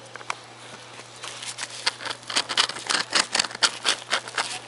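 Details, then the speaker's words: 1995 Harley-Davidson Sportster, clutch noise investigation, bearing turned by hand on disassembly: gritty scratchy rasping in uneven bursts; clutch release bearing is rough and loose, to be replaced. "doesn't doesn't sound good and it's pretty loose so I'll see about getting a bearing for this tomorrow"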